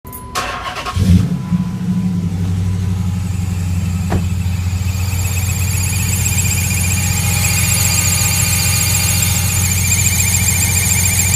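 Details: Engine catches, then settles into a steady idle with a constant high, thin whine riding above it; the source is not pinned down and the cause is unconfirmed.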